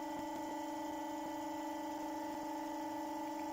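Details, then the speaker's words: Motor spinning at about 1400 rpm on new low-friction bearings, input dropped back to about 8.5 volts: a quiet, steady hum with a clean even tone and no grinding or rattle; much quieter than the old whooshing China bearings. "wow so the new bearings are a great big thumbs up they're quiet"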